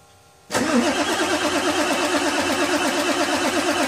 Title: F350 cold start no start